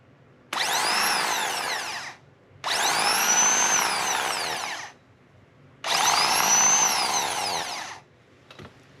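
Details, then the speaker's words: New replacement starter for a 2006 Dodge Magnum AWD 5.7 Hemi, whose old starter had a bad bearing, spun on the bench: three short clean, even whirs winding up and coasting down without grinding; healthy starter motor. "Much cleaner, guys. That is a good starter."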